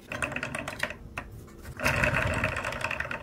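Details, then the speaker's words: 3D-printed turbocharger test rig at full power: light fast plastic whirr with soft clicking from the meshing gears, which sit slightly too low for a perfect mesh; much smoother after greasing. "let me put my ruler under this okay that sounds so much better now"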